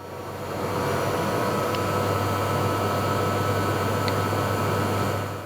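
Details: Tesla Model Y Performance electric AC compressor/heat pump: a steady low buzz with a faint whir ramps up as it spins up, then holds even. The owner feared a failing compressor (buzzing/grinding), but it sounds like a normal compressor.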